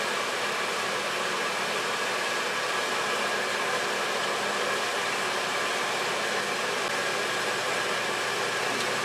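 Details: Harbor Freight Drummond 1 hp shallow well pump after repair, lines partly drained, restarted: constant even rushing hiss with no change and no cutoff, not building pressure; owner suspects insufficient priming.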